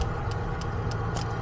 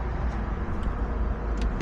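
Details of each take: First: 1990 Mazda Miata with 1.6-to-1.8 engine swap, no-start; scan-tool injector test with all injectors selected: crisp ticks about three per second over a low hum from the one working injector, others silent. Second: 1990 Mazda Miata with 1.6-to-1.8 engine swap on standalone ECU: starter cranks at steady even rhythm with good RPM sync and fuel pump running, but engine never fires; injectors suspected, unconfirmed.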